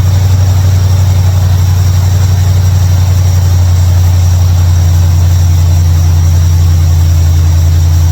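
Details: 1955 Chevrolet Bel Air carbureted after adjusting mixture screws; deep, even idle with steady low rumble and no stumbles or misses, idling way better.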